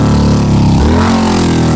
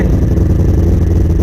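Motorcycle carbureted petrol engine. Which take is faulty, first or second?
first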